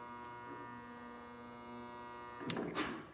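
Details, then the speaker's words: Princess Auto (Harbor Freight) 110 V spot welder welding a 2007 Toyota Tundra replacement box side: steady low electrical buzz about two seconds with red glow, then crackle as weld completes; welder working normally. "Takes a little bit of moving around. You'll hear the buzz and a red glow in there."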